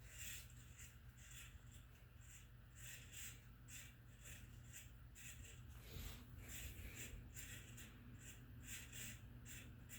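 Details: Harbor Breeze Marco Island 52" ceiling fan made August 1996, hugger mounted; steady motor hum with a high squeak repeating about twice a second from worn motor bearings.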